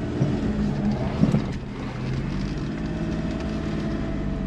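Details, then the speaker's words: Suzuki Kei Works 4WD after viscous coupling replacement, reversing on full lock: only an even low engine drone, no grinding "gogogo" rumble that reversing used to cause; drivetrain sounds healthy, problem appears fixed. "鳴らないっスね！お！鳴らないもしかしたら、、これの解消出来たかも！"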